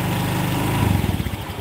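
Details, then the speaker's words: Honda Vario fuel-injected scooter at idle: the idle sags into slow, uneven chugging pulses as if close to stalling. The idle rpm is set too low; the fix is to adjust the idle air screw. "nah ini kekecilan rpm-nya cara ngaturnya di air skrunya air skrunya buka itu setelan udaran"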